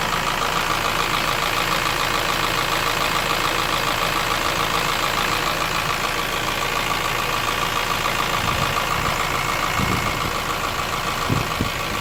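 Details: Honda S2000 AP1: steady quick knock about three to four a second over smooth idle, present across all RPMs and both cold and warm; owner suspects piston slap, not confirmed.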